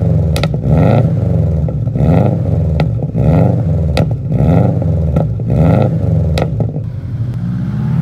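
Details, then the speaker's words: Bugeye Subaru Impreza WRX STI (UK model) with an EJ207 turbo engine built with all new parts after the original's big-end rod bearing failure, full 3-inch Blitz exhaust and uneven exhaust manifold. A deep, lumpy boxer burble with a few clean throttle blips, a normal idle. "So, exhaust system, full 3-in blitz, nurse spec, and it sounds lovely. Uh, typical Subaru noise, uneven exhaust manifold, typical Subaru blue with the gold wheels."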